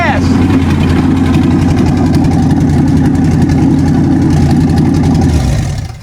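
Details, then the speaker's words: Ford carbureted V8 with a Pine-Sol-cleaned carb, after advancing distributor timing with the fan belt on, testing for hard starts: strong, steady rumble with an even beat, no misses or pinging; it runs smoothly. "It sounded good, it felt good. Let's see what happens."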